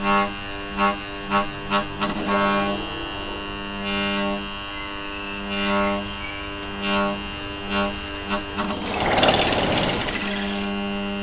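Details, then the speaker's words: Seized scrapped air-conditioner compressor, powered and thought to be drawing heavy current: a low electrical hum in repeated bursts with no running rhythm. Locked-rotor hum. "yeah that power is kind of soft and rubbery now OD that must be pulling a lot of amps"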